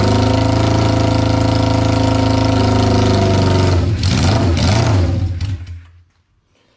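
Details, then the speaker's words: 1972 Honda CB500 Four, first run after carburetor rebuild and tank clean, airbox off: lumpy uneven idle; exhaust temperature check shows cylinder number two dead, traced to a bad spark plug. "that one's totally dead and that one's hot so we got one dead cylinder cylinder number two"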